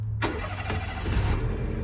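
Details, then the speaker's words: Daihatsu Mira with a 660cc turbo swap, restarting after the first rough startup (fog lights were disconnected instead of the AC). A brief crank, then it catches cleanly into an even idle; a normal start. "Okay, that's more like it."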